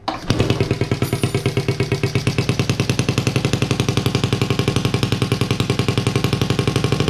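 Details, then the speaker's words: Honda Z50A monkey bike, first start after fitting CR70 stator with original flywheel, manifold not connected to silencer: small single idles at even steady beat with no misses or knocks while warming; normal idle. "wow finally well we managed to get it to work and it sounds pretty cool as well"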